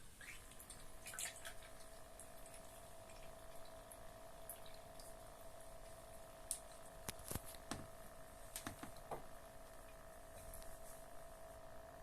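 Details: Cat water fountain pump gives a steady, mid-pitched loud hum under trickling water, despite rubber inserts and foam added to reduce vibration; the noise scares the cat away from the fountain.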